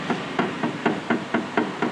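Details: 2009–2010 Maruti Suzuki Swift, steering rack rocked by hand: dull clunks about four a second from loose play; mechanic suspects the rack bush is missing, not confirmed. Shocks are leaking and lower arm ends are worn.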